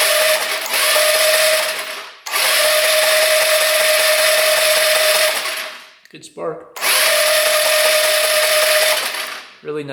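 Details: 2017 Tao Tao Sports 150 150cc four-stroke scooter, bought as a non-runner, with spark confirmed: three 2–3 second electric-start bursts, engine spinning evenly but never catching. Stuck rings are suspected and a compression test follows.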